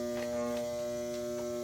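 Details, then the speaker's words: Vintage Fleetwood sewing machine from an estate sale, switched on: steady electric hum at one pitch with faint clicks and no speed build-up; the motor is energized but the mechanism is stuck, and the owner suspects it needs oiling and cleaning inside. "have to unlock that machine get it oiled up and everything but that's the way you [Music] that's the way you get it going okay old machine it needs to be oil"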